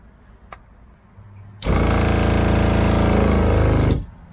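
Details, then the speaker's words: RV water pump with no tap open: quiet, then pump buzzes and chatters rapidly about two seconds and stops, repeatedly priming itself; cause not yet found. "so we've got an issue with our water pump um Tommy can't hear it as well as I can but it keeps priming itself and so I need to figure out what is going on"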